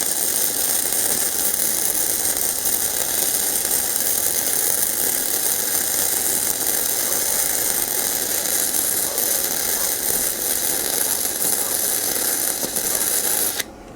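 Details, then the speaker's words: Cheap multi-process welder (about $150) MIG welding thick steel: steady, even frying crackle with no pops or breaks until the arc stops; a smooth, hot arc leaving a nice bead with good penetration. "Tell you what, from what I can see, that's a pretty nice bead, and this is thick steel. And it looks like it penetrated very good too."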